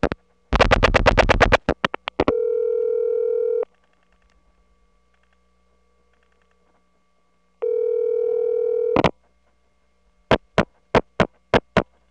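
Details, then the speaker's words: Call from the 1979 Atlanta Trinity step office over a cable trunk to a Number One ESS supervision test: a clean ringback tone in two long bursts about four seconds apart, framed by dial pulses and clicks. Normal, pristine analog ringback. "this call is to the supervision test and notice the pristine ringtone something you don't hear nowadays"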